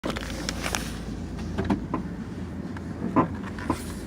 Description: My Car makes weird popping noise..does this every now and then.